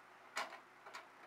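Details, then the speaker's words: Regulator pendulum clock restarted after calendar hand repair: light crisp ticks about half a second apart in a quiet room; escapement beating normally. "all right guys 7 o'clock it's time to fire it up there we go got our tickin again"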